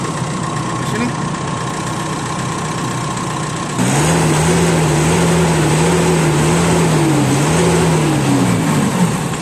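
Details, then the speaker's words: VW Crafter 2.0 turbo diesel: steady idle, then with revs a droning, wavering hum rises over the diesel clatter; failed turbocharger that needs replacing. "uh uh Turbo's no good brother you got to you got to get this turbo back to him man and get from somewhere else"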